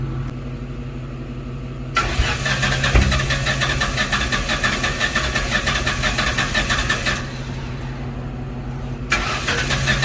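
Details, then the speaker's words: 2004 Ford Mustang GT that sat about 1.5 months, crank no start, recorded at exhaust after crankshaft position sensor replacement and setting TDC: starter churns about three beats a second in two bursts without catching; strong fuel smell, fuel rail sensor suspected next. "Okay so at this point it's not starting with the crankshaft position sensor so I'm gonna go ahead and switch out this fuel rail sensor see if that helps because it smells like gas hardcore back there"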